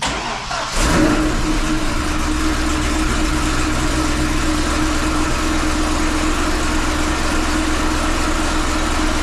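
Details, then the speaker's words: 2005 Chevy Corvette V8 with 2" headers: lumpy idle with a sharp puffing tick over the exhaust note, from exhaust leaks at the loose, poorly fitting V-band flanges on the headers, about three leaks per manifold. "I can officially confirm there is definitely an exhaust leak especially where those VB bands kind of like I said earlier where those V bands kind of come together but there's that little Gap"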